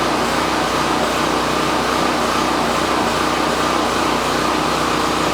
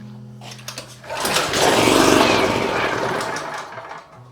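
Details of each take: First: Champion 4000 generator first run on a new replacement carburetor after the old one left it inoperable, choke on and running a little choppy, then fuel valve shut off to let it die from fuel starvation; steady even drone, normal running. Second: Champion 4000 generator, choke on and fuel valve open: it fires with a ragged, rapid chuff, rises briefly, then fades and dies within seconds. There is spark, but the carburetor cannot maintain fuel supply; a carburetor replacement is planned.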